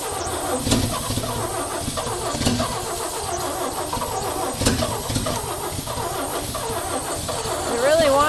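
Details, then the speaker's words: 1965 Chevy rollback with rust-seized cylinders, rebuilt head and loosely set valves, on ether: ragged, uneven sputtering with irregular pops as it tries to catch, maybe three cylinders firing instead of one, from poor compression. "She wants We got maybe three cylinders firing now instead of one."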